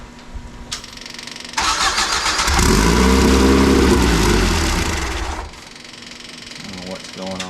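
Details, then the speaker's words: Free truck that had sat with 20-year-old diesel in it, run with jets loosened and idle turned up: cranks, catches and revs about three seconds, then sags and dies because it doesn't keep getting fuel. Owner suspects the jetting; another carburetor is on hand. "here, but it doesn't continue to get fuel."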